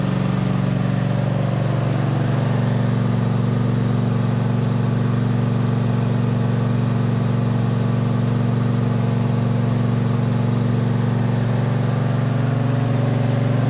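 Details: 2007 MTD/White Outdoors 54-inch zero-turn mower, twin-cylinder, running after charging-system repair, charging about 13.8–14 V: steady, even drone with low regular beat, no misses or knocks; normal running.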